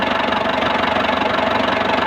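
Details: Engine idling with a steady fast ticking knock over it; knock present, cause not pinned down. Cause suspected, not confirmed.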